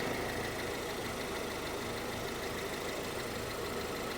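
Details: Honda CR-V (RD1) after replacing a burst small upper HVAC heater hose and refilling with water: even, steady idle, no knocks, misses or squeals; owner checking for head-gasket trouble.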